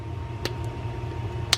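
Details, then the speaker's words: Fishing reel in for service: two crisp clicker ticks about a second apart over faint room hum; the up-and-down click mechanism, which sometimes fails to hold, is working fine on this reel. "that click going up and down sometimes that fails and it just it doesn't hold for that click mechanism but in this case that's working fine"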